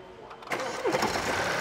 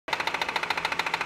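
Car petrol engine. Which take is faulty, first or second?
second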